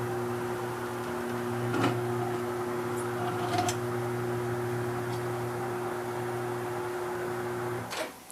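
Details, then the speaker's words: New Mayflower tire changer turntable motor demounting a tire: steady low electric hum holding even pitch under load, no bogging down; motor running healthy. "that seemed to work pretty good I didn't hear the motor bogged down or anything"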